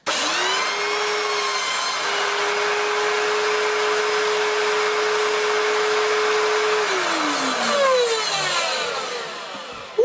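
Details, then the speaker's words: Electrolux Cyclone Power Z1910 self-propelled vacuum, first switch-on in a long time, cyclone assembly missing: motor spins up to a steady, clean hum with no rattle or grinding, then winds down smoothly; motor sounds healthy. "that sounds smooth, doesn't it? Gosh, that does sound really smooth. Really, really smooth."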